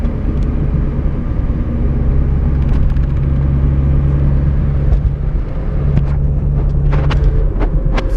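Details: Mazda Miata rear differential: steady low whine over road rumble at constant cruise, gone under hard acceleration or deceleration; ring and pinion gears found badly chewed up.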